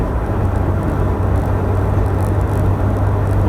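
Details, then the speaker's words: 2013 Toyota Hilux Vigo diesel, stone cold, about two minutes after start, accelerating on and off the gas: smooth steady low drone with no injector knock or rattle, running normally. "been driving about a minute and a half two minutes not didn't start the video long after i started driving the thing's stone cold i'll tell you bloody beautiful"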